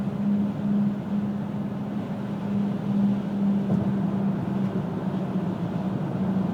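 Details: 2000 Pontiac Grand Am GT cruising: steady low hum/drone over road noise, vibration sometimes felt underfoot, showing from about 35–40 mph; persists after hub bearings replaced twice, driver-side CV joint, new pads, rotors, calipers, tires rotated; source unknown.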